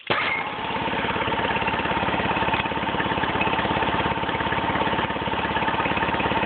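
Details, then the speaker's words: Nissan 9.8 four-stroke outboard, warm, after drilling out the idle adjustment plug and richening the factory-lean idle: an even, mellow putter with regular exhaust pulses and no hopping; still shakes slightly, far less than before. "The motor sounds a lot more mellow and it still shakes a little bit, but not near as bad. It sounds a lot better to the exhaust."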